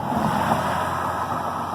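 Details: Truck with a dead battery, jump-started with a Halo portable jump starter: engine runs smooth and even with a steady hum and no misses or knocks. Normal running.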